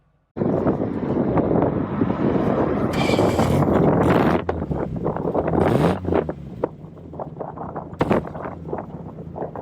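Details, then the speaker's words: 1970s Triumph 1500 FWD, daily driven, idling, microphone at the rear by the exhaust: soft quiet burble with even pulses through gusty wind; healthy idle exhaust note. "So I wanted to show you what she sounds like from the back as well."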